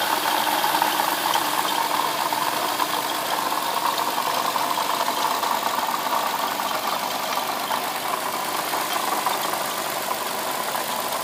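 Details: 2007 Lexus IS350 at idle: steady fast metallic rattle/knock with a faint chirping squeak from the front side of the engine; owner suspects a bad water pump, not confirmed.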